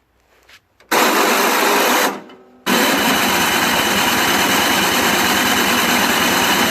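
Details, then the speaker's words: Toro Snow Commander 38602 single-stage snowblower with electric start: harsh, raspy grinding bursts on each starter press with no engine catch, starter gear already ground up (stripped gear on electric start motor); engine also had bad brown fuel. "it's already ground up so I'm just trying to get the turn"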